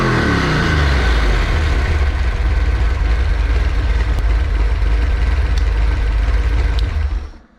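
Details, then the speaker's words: Freshly built Ford 408 stroker small block Windsor on break-in oil, heat-cycling: strong, even V8 exhaust beat at fast idle, no knocks or misses, then clean shutdown; healthy. "So that's where we're at least it finally runs after 9 years. It sounds really mean, and you saw in the video the surprise face of Grandpa."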